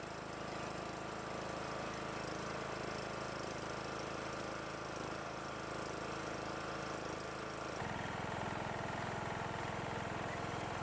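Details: John Deere riding mower after years of storage, which stopped while cranking, running after valve lash adjustment, carburetor bowl filled via fuel line, starter jumped: single cylinder holds a steady, even beat that firms up near the end, no ticking or misfire; normal.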